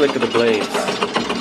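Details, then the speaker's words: GE LM1500 converted fighter-jet turbine (15,000 hp), propane-fuelled, in test cell, spinning down after run: quick light ticking over soft whir, starter ratchet with starter not spinning plus clickety click of the blades; normal. "the starter ratchet. Starter's not spinning. The other noise is clickety"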